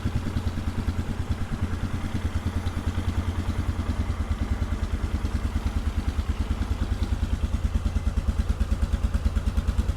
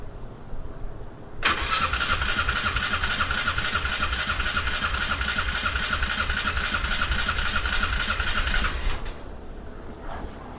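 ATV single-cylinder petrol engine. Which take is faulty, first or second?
second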